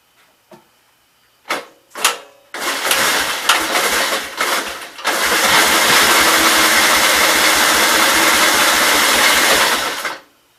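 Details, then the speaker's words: 1944 L tractor with gasoline poured into the intake and the throttle just above idle: a few short starter bursts, then a long crank with faint catches that never picks up; weak spark because the spark tester was grounding against the cylinder head. "So it tried to fire there with some fuel."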